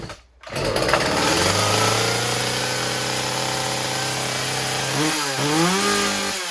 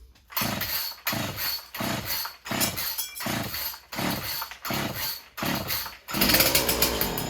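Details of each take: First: Husqvarna 36 chainsaw after fixing a stuck carburetor needle; fast steady buzz at idle with the chain spinning because idle was set too high, then idle screw turned down until the chain stops. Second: Husqvarna 36 chainsaw after freeing a stuck carburetor needle, throttle rod not refitted: several quick pulls, then it catches into a raspy steady two-stroke buzz with a higher burst near the end; running normally again.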